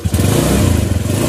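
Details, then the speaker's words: Suzuki Nex automatic scooter after refitting roller/variator housing: short, even rev with no shudder or clatter; the judder when opening and closing throttle is gone, running smoother. "jadi di sini untuk nggek-gek nya sudah hilang bunyi mesin pun jauh lebih halus"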